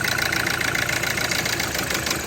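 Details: Hyundai i20 petrol engine idling with a rough, uneven pulse. The misfire and lack of power were caused by a faulty engine control module (ECM).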